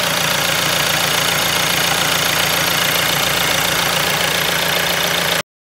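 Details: VW Golf 2.0 TDI (EA288) with a cold long-crank no-start problem: an even diesel clatter at idle with steady, regular firing, no misses or hunting; normal idle.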